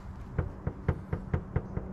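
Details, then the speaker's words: 2019 Toyota 86 TRD after installing a carbon hood and raising the latch so it would close: eight dull, hollow knocks about four per second as the hood rattles at the latch; owner considers adding foam. "don't want to hear that a little rattle what would you guys think"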